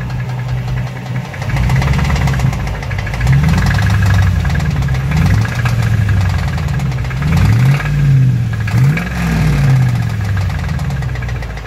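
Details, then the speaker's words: 2005 Dodge Ram 1500 with a 5.7 Hemi. A deep, heavy, low-pitched knock rises and falls with revs. The owner suspects a bottom-end crank or main bearing, possibly spun, rather than the flexplate; this is not confirmed. "I think it's the lower end we're running the crank bearings the main bearings or something that's what it sounds like"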